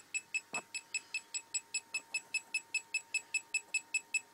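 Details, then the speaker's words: Homemade SMD PCB reflow oven controller, entering the flow stage: a steady high-pitched beep repeats about 2.5 times per second, evenly spaced; the normal stage alert. "Here we go. Flow. And as you can hear, that little bleeper's going crackers."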